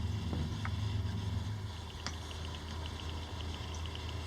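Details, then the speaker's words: Water-cooled Ryzen 1600X PC build, coolant about 31°C; light regular tick about three times a second over a low hum from the back case fan, owner suspects a wire touching the fan as before, not confirmed. "That's from that back fan. I had that before and it was a wire touching, so I'm not going to do piss all out tonight."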